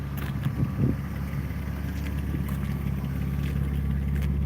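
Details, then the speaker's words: Rare 6-cylinder BMW E36, running again after a no-start suspected to be running out of fuel: even, low exhaust drone that holds steady and builds slightly, with no knocking, ticking or stumbling; the engine sounds healthy. "You can hear the engine. See, once she's running, she just sounds good."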